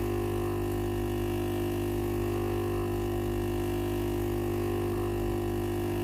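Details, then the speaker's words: Philips PSG8160/30 steam generator iron, turns on normally but no steam: steady unbroken buzz of the water pump running once ready light stops blinking; valve clicks when steam pressed but no steam comes out; pump failed. "ตอนนี้ได้ยินเสียงปั๊มน้ำทำงานแล้วนะครับ"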